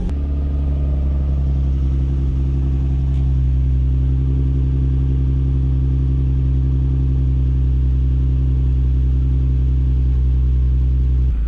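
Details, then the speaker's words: Nissan 350Z with South Bend stage 3 clutch at cold start: steady, even idle with deep drone and a faint rattle underneath, which is the stage 3 clutch making noise at idle. "at this coal start i know you guys can hear that that noise listen that's the stage three clutch making that"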